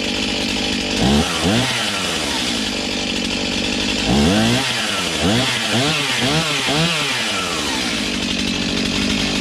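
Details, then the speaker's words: Serviced Stihl MS291 chainsaw with 20-inch bar cutting a roughly 12-inch log; its high two-stroke buzz bogs slightly and recovers in repeated dips as the chain bites. Cuts cleanly under load, carb high/low adjustment may be tweaked later. "she eats pretty nice something we'll probably Tinker with you know high and low carb adjustment"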